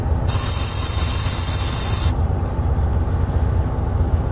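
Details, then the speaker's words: 1964 GM PD4106 bus, driver's air ride seat: steady air hiss for about two seconds over low diesel idle, then clean cutoff; seat air valve works normally. "works beautifully nice and good for you"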